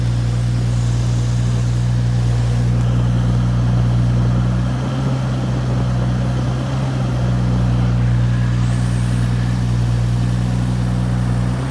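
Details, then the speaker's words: Turbocharged Toyota Supra found to have a huge boost leak in front of the throttle, checked by hand; rough, loose, uneven low beat with slight hunting, and it idled great once the leak was plugged with a glove. "so once I figured out that there was a huge boost leak in front of the the throttle I closed it up with a little glove right there"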